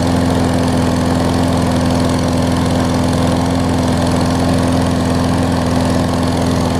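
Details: Craftsman push mower after carb clean and right front wheel assembly replacement: single-cylinder runs steady at constant governed speed with no misses or surging; possible tiny carb bowl leak. Normal running.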